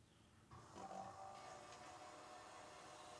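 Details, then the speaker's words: Restomod vintage Porsche fuel system (in-tank pump, surge tank, adjustable regulators, 10-micron filter), first fuel in 25 years with three gallons in the tank: the pump runs with a faint steady whir and fuel circulating, no surging or rattle; gauges read about 3.5–4 psi. "so it's running now and i can hear things circulating"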